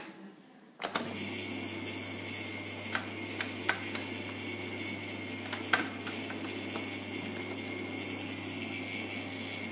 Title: Bosch dishwasher making strange noises while in run